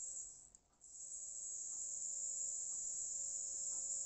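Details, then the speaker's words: Cleaned Jouef 3-pole model railway motor run at 9 volts, fairly fast, with polarity reversed: a quiet, high, steady whine with no scraping or crackle, much quieter than before cleaning. "screeching, no howling. Let's invert polarities. That's a much quieter motor. Much quieter. It was really noisy."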